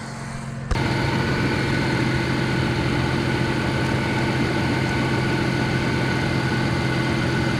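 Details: Vehicle that stalled on the roadside that morning, restarted and left warming for several minutes; coolant reservoir found full. Steady, even idle with a low rumble, no misses, hunting or stalling; normal idle.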